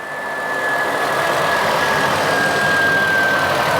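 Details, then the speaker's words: Toyota FJ just fitted with iTechWorld 1420CA PRO lithium starter battery: starts easily into a steady, even idle with faint high whistle, no knocks or misses; normal idle. "running it's running well that was easy that was easy that was really easy"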